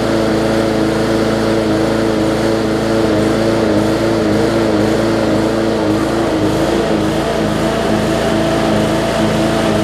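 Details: Bolens push mower with a Briggs & Stratton engine (classic or newer OHV), restarted after refitting the air filter following no-start repair. Steady, even drone with a constant low hum and no misses or surging; running normally.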